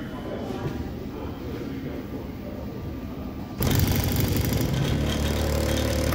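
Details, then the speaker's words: Micro 3D printer running a home-all with the Y endstop switch unplugged: a quiet hum turns into a loud, steady, angry buzz as the stepper motor stalls against the end of the rail, torquing itself out. "when we hear that noise that's the motor basically torquing itself out on our micro printer"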